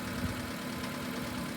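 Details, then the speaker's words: Petrol car idling cold after sitting, during the first seconds of running, with a steady, even hum; a tailpipe transducer shows no anomaly, so no misfire. "we're anomaly free so we don't have a misfire um actually this car does not have a misfire"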